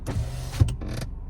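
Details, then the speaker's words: Lada Vesta SW Cross passenger power window rising: motor hums with a rubbing squeak near full close; owner read on forums the regulator slides need disassembly and lubrication, hoping that helps. "что-то скрипить там. Ну, почитал тоже форумы. Говорят, что надо разбирать и смазывать салазки."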